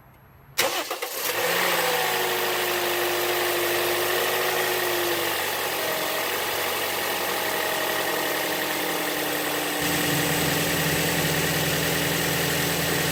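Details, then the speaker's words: 2007 Toyota Yaris after replacing old squealing serpentine belt: quick crank and catch, then smooth even idle with no squeal or chirp; normal start and idle. "Now that we're done, we'll go ahead and crank it up, make sure there's no squealing."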